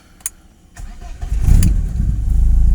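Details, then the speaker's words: 1991 BMW 318i E36 M40, manual, about 177,552 km, with an HKS racing exhaust, cold start: a brief starter whirr, then it fires within about a second and settles into a steady, even idle. A healthy quick start. "starter aja masih langsung menyala dan Mungkin kalian bisa dengar suaranya di belakang Dodot tagged olshop jadi masih gahar nih"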